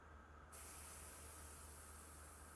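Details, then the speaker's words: Coleman 285 lantern fount, about 5 minutes after pumping and check valve service: sudden strong, steady rush of escaping air. The fount still holds pressure, so the check valve seals. "have no idea if you heard that, but I did. So, we're good on the check valve. It's holding pressure."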